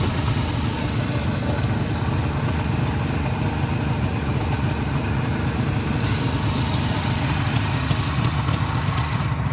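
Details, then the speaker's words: 1973 Suzuki GT550 two-stroke triple, warmed up: a steady, even idle with a crisp, buzzy exhaust note and no hunting; it holds a nice idle and sounds healthy. "the bike will just sit there and hold a real nice idle I think that's just that's a sweet sweet exhaust note"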